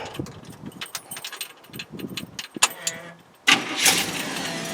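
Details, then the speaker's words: 1930 Ford Coupe, freshly painted and reassembled: key rattle, brief crank, then it fires right up at once and settles into a quiet, smooth, even idle; normal cold start. "Man, you don't get any better than that. The thing just fires right up. Nice and quiet."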